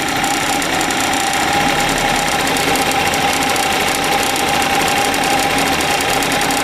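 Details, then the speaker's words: Suzuki Address 110 scooter (crankshaft 11,373 km, piston 6,392 km): a quick, harsh metallic knock over an even idle, absent at start and appearing after about 10 seconds as it warms; owner suspects piston or pin, not confirmed. "неприятный такой стол такой как 33 такой неприятный когда только завел этого звука не было потом через 10 секунд этот 12 там слышно можно что такой неприятный звук пас посторонние такого не должно быть у двигателя"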